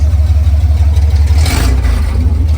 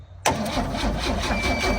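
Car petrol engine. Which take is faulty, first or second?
second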